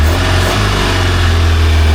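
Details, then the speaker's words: Engine of a free, long-neglected Baretta boat, running after a hard fight and crank-stop cycles to clear it: steady, strong low drone with even firing and no knocks or misses; quiet and healthy. "Boy, did this thing fight us, but as you can see, it's running really well."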